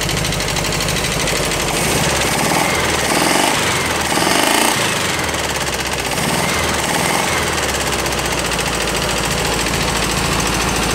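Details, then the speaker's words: Rescued VW bus air-cooled flat-four on cold start: loud, fast clattering valve tapping over an uneven idle, popping back through the carb; owner suspects a burnt valve. "sounds better still tapping loud juding by the way that's popping through the carb has a burnt valve"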